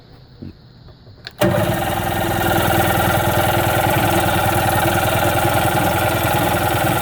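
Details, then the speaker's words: Seadoo watercraft after its carburetor was removed and cleaned and fuel lines replaced, airbox and filter off, choke pulled: steady cranking about three beats a second that never fires. It isn't getting fuel yet. Crank, no start. "uh all right it's not starting it's not getting gas yet let's give it a little little carb cleaner help"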